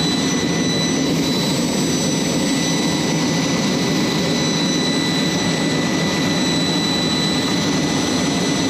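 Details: Jet's J79 engines on a ground run after leak repairs and refuelling: constant deep roar with steady high whistles on top, no surging or pops; clean stable normal idle, successful run.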